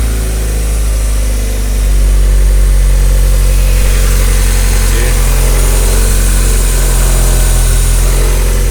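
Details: Mazda Miata, just started for the first time in almost a year, hood open, owner suspects an oil leak. Steady, even idle with a smooth lift in revs after a couple of seconds, no knocks or misses. Normal idle and revving.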